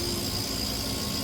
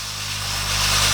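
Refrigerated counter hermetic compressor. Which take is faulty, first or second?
first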